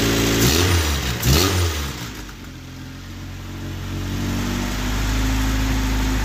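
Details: Honda Civic hatchback with a stock B20B high-compression swap, stock manifold and GSR transmission, first start with exhaust not fully bolted down; engine catches, revs briefly, settles into steady even idle with slightly loud exhaust; normal running.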